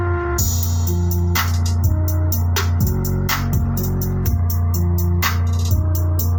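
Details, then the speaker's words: Active speaker after repair of distorted bass and reinstallation of its amplifier board in the box: music with firm, even bass and no crackle or buzz; the earlier "brek brek" distortion is gone, bass now clean. "Jadi untuk suaranya sudah tidak sember, jadi sudah jernih basnya murni."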